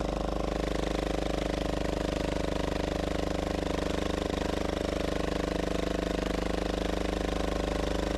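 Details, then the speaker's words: Gravely Model L repowered with a 10 HP Yanmar L100-clone single-cylinder diesel, first run after bleeding the injector line: steady idle thump with loose metallic rattle on every beat from the exhaust bouncing around. "Well, that's what we call a good sign. The exhaust is bouncing all over the place. That's making most of that noise."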